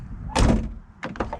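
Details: 1998 Camaro door with worn hinge pins needing replacement, investigated for a window air leak: heavy dull thunk then lighter rattly knocks as the door settles shut; loose sound, worn hinges suspected.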